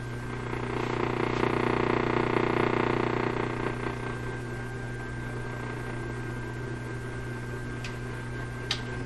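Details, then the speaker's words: 1930s Canadian Rogers Majestic 4511 tube radio under inspection with a tuned loop antenna aimed at a station: a steady low buzzing hum with a few higher steady tones, independent of volume. Almost certainly weak power supply filtering. "well that hum is really quite distinct independent of the volume almost certainly the power supply filtering is weak in the radio"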